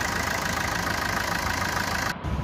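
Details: Maruti Suzuki Swift diesel at about 134,438 km, after a new turbo was fitted and the air filters were cleaned for white and black smoke: steady, even idle clatter with no whistle or surging. Normal idle.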